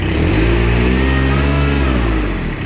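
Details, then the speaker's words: Kubota RTV900 diesel utility vehicle with hydrostatic transmission, after charge pump, wear plates, filters, hoses and oil replaced; revved in high gear with handbrake on, strong steady drone pulling down slightly without slipping, drive taking load with more pressure than before. "would actually tried to move forward there. That was in high gear with the handbrake on. It's never done that before."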